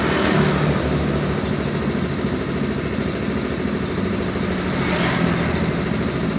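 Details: Yamaha Mio M3 scooter idling with a loose, uneven "klotok-klotok" clatter ticking at roughly three per second over the engine note; abnormal engine knock at idle, source not yet determined.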